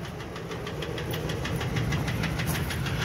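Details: Ford F-150 with bad coil packs and a coolant-leaking intake: sharp, slightly uneven metallic ticks about three a second from one bank over the idle; incorrect spark plug striking the piston, combustion chamber damaged, engine needs replacement.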